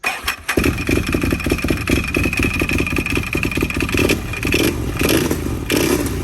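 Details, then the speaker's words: Can-Am Outlander 800 ATV running with belt box off after new belt and clutch: loose, rhythmic metallic clatter keeping pace with the engine; clanky noise from the belt drive, owner unsure, possibly clutch. "she seems it wasn't good she still makes this real clanky noise I don't know what's wrong with my clothes"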